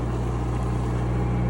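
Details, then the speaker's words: Cummins 4BT four-cylinder marine diesel generator on a 94' Broward yacht, after replacing fouled injectors that caused smoke, smell and water sheen; now clean. Even, steady low diesel drone, constant tone, no misfire or knock; normal running. "So I think that the injectors just really needed to get replaced on this one."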